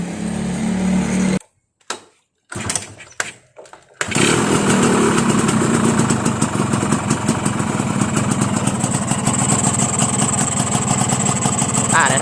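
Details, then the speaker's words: Crystal two-stroke with a normal carburetor and no leaks: after starting, the idle surges and won't drop, lowest about 1,800 rpm, stalling near 1,500. The owner suspects excess compression. "เห็นมรอบมันจะสวิงนะครับมันไม่ลงฮวบเลยนะ"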